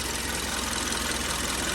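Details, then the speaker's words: 2013 Kia 1.6 L petrol at idle: steady idle with fast light ticking, normal direct-injection injector clicking; engine had a knock solved by removing engine sludge. "direct injection clicking, obviously."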